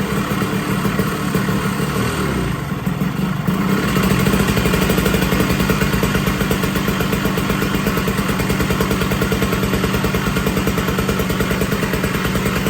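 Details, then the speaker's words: 1980 Puch Murray moped with a Tomos A35 top end, Mikuni VM18 carb, reed intake and custom Estoril pipe, on its first start at -7 °C with the engine super cold: fast, rattly idle with an uneven popping beat that sags and picks up; jetting not yet set. "Still got to work on jetting and everything, but the bike is running. Pretty fucking sweet. And the engine is super cold."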